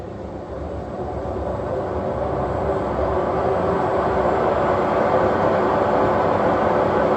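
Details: Heavy, continuous rumbling roar that builds as the drum spins up, like a passing train: very badly worn drum bearings.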